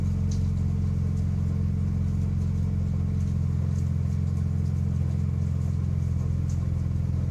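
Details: 6-speed manual transmission at idle; steady idle rumble with a fine, fast rattle throughout. Suspected gearbox gear rattle at idle, not confirmed.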